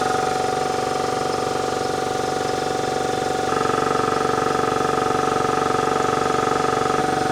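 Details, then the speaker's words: Ingersoll Rand 5HP 2-stage 80-gal air compressor, replacement eBay motor on newly fitted magnetic starter: motor picks up cleanly into steady pumping thump about three per second, smooth hum; 241 V while running; normal run. "It's the exact same voltage when it's running, 241."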